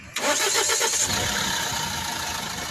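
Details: Mahindra XUV500 diesel catches quickly and settles to idle with a busy, clattery rattle on top; abnormal engine noise, cause not clear.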